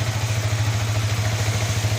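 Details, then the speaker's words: Yamaha R15 V3 single-cylinder running on an external fuel feed instead of its fuel pump, no DTCs: quick, even idle putter, no misses or surging; fault traced to the fuel pump, which hums when plugged in. "ini Oke ya untuk motor ini menyala normal tapi tidak saya Pakaikan P PAM saya pakai bantuan infus dan tidak terjadi DTC sama sekali"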